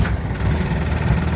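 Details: British diesel vehicle started after glow plugs reach temperature: low, even clatter and rumble holding steady idle, no stumble or knock; normal idle, engine sounds healthy.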